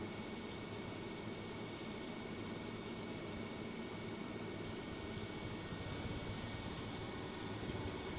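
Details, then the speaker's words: Fantastic Fan roof vent fan on lowest setting after install: smooth steady airy whoosh with faint constant tone, no rattle; running normally, not too noisy. "so if you sit here on the stable it's doing its job not too noisy"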